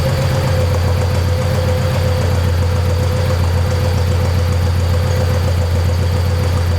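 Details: 1972 Saab Sonett engine, seller says overhauled by previous owner, idling after a hard start following months of sitting: steady, even low rumble with constant beat, no knocks or misses; normal healthy idle.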